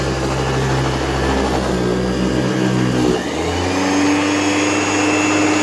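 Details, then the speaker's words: AirVac AV3500 central vacuum, 23 years old, Power Mate-type power head: steady roar, tone drops about three seconds in then settles higher as the brush bar speeds up. Brush bar slow until warmed up. "doesn't spin very fast until it warms up then the bush bar spins a little faster there it goes now it's spinning a little faster"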